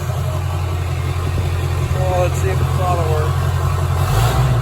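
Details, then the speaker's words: Diesel mud truck running after sitting since February, following a fire; it previously knocked, missed and ran about 300 degrees coolant temp: deep, even idle with no knock or miss, slight rise near the end; normal smooth idle. "i gotta check a couple of things but it runs dude i can't believe it"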